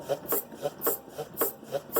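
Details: 2011 Hyundai i30 2.0, suspension noise complaint: sharp hollow clunks each time the body is rocked on the ground, knock located at the stabilizer link; worn sway bar link.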